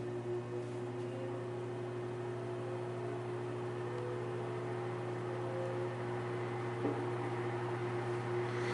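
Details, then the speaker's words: Vintage Arctic Air fan fully reassembled, highest speed, still ramping up: steady even hum with smooth rush of air, no rattle or scrape; normal running, moving lots of air. "really moving a lot of air it's impressive it's not done ramping up"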